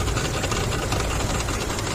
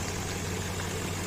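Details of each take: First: Infiniti QX56 idling with knock under the hood, persisted after power steering pump replacement: light rapid metallic tapping over a steady idle from the belt side; worn belt tensioner knocking. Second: Infiniti QX56, warmed up, after replacing the accessory belt tensioner: quiet steady idle, metallic knocking gone; slight rustle is the gas (LPG) injectors. Failing tensioner had caused a scary metallic knock and intermittent A/C cooling.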